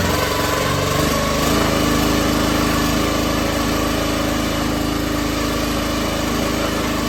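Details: Log splitter repowered with a brand-new minibike engine with about 2 minutes of run time: catches within a second, then settles to an even, buzzy small-engine idle with no miss or rattle; normal start and idle.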